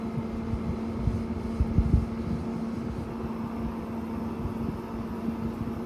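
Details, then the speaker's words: GE 6000 BTU window air conditioner on low fan speed: low, even hum with soft steady tone and a few light thumps; not quiet but pleasant, normal running. "For also on the low speed, it's not quiet, but it's a pretty pleasant sound. It's not really intrusive."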